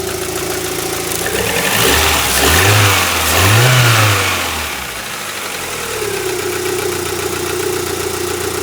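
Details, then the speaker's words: Rover 75 petrol engine on its first start after new spark plugs replaced the factory originals; it catches, blips up and down, then settles to a steady, even idle with no misfires, judged to be running better. "Now I'm listening for misfires. I can't hear any misfires. Blub da blub da blub da blub. That's all right."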